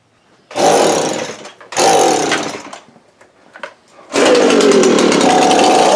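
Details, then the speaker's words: Echo leaf blower two-stroke, after carburetor cleaning of gelled fuel: two short rev bursts that sag, a stumble, then a longer high buzz; runs but lacks power, debris coming from exhaust, improving as it runs; exhaust to be checked. "Oh alright guys so it does run you solve that we're gonna check the exhaust now it seems like it's lacking a little bit so and make sure it's clean as I felt some crap coming out of it"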